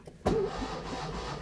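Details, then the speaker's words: Fiat classic car, starter switch used with ignition switched off: the starter whirs and turns the engine over steadily with no firing, so it cranks but cannot start for lack of ignition. "The starter turns but I can't start the engine because it has no ignition"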